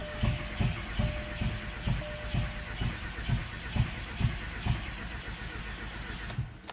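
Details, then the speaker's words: 2001 Volkswagen Jetta GLS 1.8T, cranking after a new starter and new spark plugs with a fully charged battery: starter churns, one cylinder fires briefly but it never catches. Owner suspected coil packs; cause was a faulty coolant temperature sensor. "so as you just heard there was like one cylinder there that was firing"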